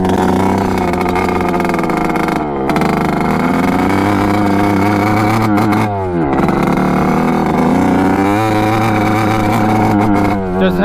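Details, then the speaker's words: 1986 Kawasaki KX125 two-stroke on its first ride: it blips, then falls flat and burbles, never reaching the power band and sounding starved of fuel; the cause is a loose carburetor main jet. "i hopped on it with the gopro and of course it just like does not hit the power band doesn't have any power sounds like it's not getting enough gas"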